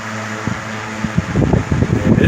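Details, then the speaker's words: 1970s 16" Toastmaster box fan fitted with a replacement blade set from a 1940s desk fan; steady low hum and air rush, hardly any vibration, good airflow. "no not much of any vibration to it"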